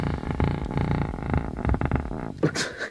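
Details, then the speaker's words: 300 W RMS subwoofer playing low bass with a coarse, purring buzz, coming from the speaker itself since the amp sounded fine on another speaker; rubbing voice coil suspected. "osed to make base not this hideous horrible weird buzzing sound I mean just listen to that that's just outrageous what the hell and I know it's coming from the speaker"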